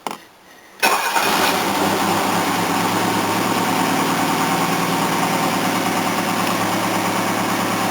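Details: Old Mercedes 230 after cooling system flush, cold start at 3°C: starts then settles to steady idle with raspy puffing hiss from exhaust; otherwise runs smoothly, needs new engine exhaust pipe.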